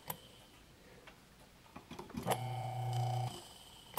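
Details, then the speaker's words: Antique Emerson 1/30 HP electric motor, freshly cleaned and oiled, unplugged and plugged back in: sharp, quiet start switch click as power returns, short steady hum while running, another click as it coasts down; normal start switch. "know if you can hear that click it's like the Quietus switch and electric motor I've ever heard because it's so small"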